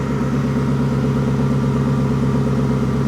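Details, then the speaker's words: 1954 Ford F600 cab on 1995 Toyota Coaster bus chassis, idling: one exhaust bank rough and uneven with dropouts versus smooth faster other bank; owner suspects missing cylinder on that bank, planning to check coil packs. "And this exhaust is really rough. This exhaust is very smooth and uh and firing a lot a lot faster pulse than this exhaust. You can see that. Bang, bang, bang, bang, bang, bang, bang. And I reckon we've got a uh a missing cylinder on that bank."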